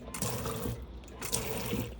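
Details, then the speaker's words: Burstner Nexxo T660 motorhome fresh water pump, kicking in when the pump switch is on and the tap's micro switch is engaged: a faint low steady hum under splashing water from the tap, pump running normally and delivering flow. "If I turn the pump switch on up here and engage the micro switch, you should hear the pump kicking in."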